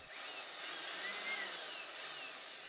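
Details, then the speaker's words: Brand-new EGO 56V edger that won't rotate the blade: steady high motor whine spinning freely with faint slipping chatter; owner believes the gearbox miter gears are skipping teeth. "so I believe the problem is in the gearbox side here where the miter gears are I think I can hear it skip like the teeth of grounding a little bit"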